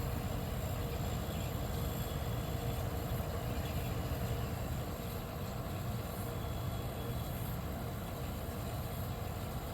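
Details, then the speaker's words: 1973 Westinghouse 25-pint dehumidifier (compressor dated 1973, low-pressure R12 compressor), first start after purchase: steady low hum with even airy fan rush, no knocks or rattles; normal running, notably quiet. "I wonder if that's the full speed that the fan motor is running at because if it is the this thing's quiet"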